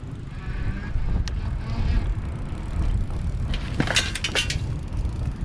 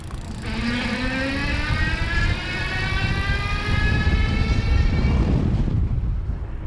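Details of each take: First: E-Lux Malibu Sport cruiser e-bike with geared Dapu hub motor, ridden off a curb: light metallic pinging and clinks over wind rumble as the chain bounces against its full steel chain cover. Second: E-Lux Malibu Sport cruiser e-bike, Dapu geared hub motor on throttle only, riding outdoors in wind: a light rising electric zing from the geared motor under throttle, with wind rumbling underneath; normal, not too loud.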